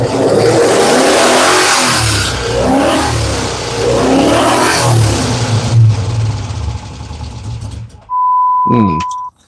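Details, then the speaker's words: 5.7L 3rd gen Hemi with Comp Cams on open headers; loud V8 surges unevenly, sags and dies after a few seconds, smells rich; vacuum leak from something still disconnected on the intake plenum causes rough running and stalling. "Okay, we still have a vacuum leak. Okay. And that's our problem. I've still got something disconnected on that intake plenum."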